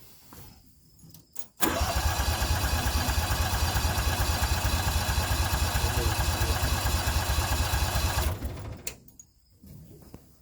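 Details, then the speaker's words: Toro Workmaster under restoration, first start of the morning at half throttle: starter cranks steadily about seven seconds but never fires; fuel starvation. "some reason we're not getting fuel so that's what we got going on"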